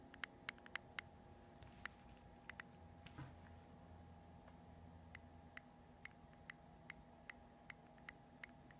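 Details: New Multistar 2216 v2 brushless outrunner motor: sharp irregular clicks, roughly two a second, over a faint steady hum; owner suspects a bad bearing, not confirmed.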